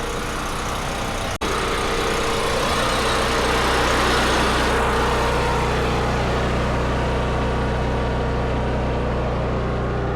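Steady, even engine drone at constant speed with no misses or knocks; generator running smoothly on propane.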